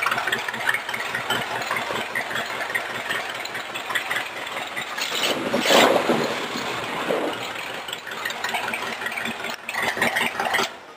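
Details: Homemade rat rod roadster with a 1953 Cadillac V8 and a borrowed carburetor, idling on a cold day in a Maine garage: a steady, even pulse with no knocks or misses. Normal, healthy idle.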